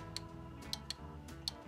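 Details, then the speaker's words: Engine-bay fan relay, key on, engine off, AC on: relay clicks each time it is plugged back in, so its primary circuit energizes, but the fan does not come on; fuse checked first. Secondary circuit or fan suspected. Failed relay contacts. "you can hear it click, that means the primary circuit of the relay is working. It's energizing it. You know, it's switching. Um, so the secondary circuit of the relay, which actually turns the fan on, is not working."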